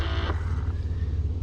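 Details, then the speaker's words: 2011 Chevrolet Impala after replacing the HVAC blend door actuator behind the glove box: steady engine idle hum with a brief airy rush, and no more ticking. "makes no more ticking sounds"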